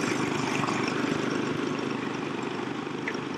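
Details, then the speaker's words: 2002 Nissan Xterra idling: even idle with steady rapid puffing tick from an exhaust leak, engine otherwise smooth; smoke from tailpipe and milky oil at dipstick confirm blown head gasket, planned full teardown and head gasket replacement. "she's definitely got a head gasket problem and listen how nice this engine still sounds besides the exhaust leak"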